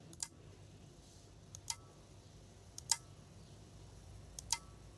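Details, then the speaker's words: Quant Asylum QA403 audio analyzer in a quiet room: sharp isolated clicks about every second as small internal relays switch input sensitivity ranges when different inputs are selected. Normal relay clicking. "so just to demonstrate how the relays work these are the inputs that you can change the kind of sensitivities kind of gain knob on the input side and if I choose different inputs you can hear the relay is clicking"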